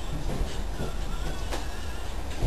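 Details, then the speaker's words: 1979 Lotus Eclat, cold night around 2-3 °C, new coil, fuel pump and plugs, compression tested okay: cranks with a few faint uneven catches but won't start, seemingly firing on one cylinder; plugs soaking wet, owner suspects flooding. "okay so you can hear it's firing on one cylinder possibly one cylinder"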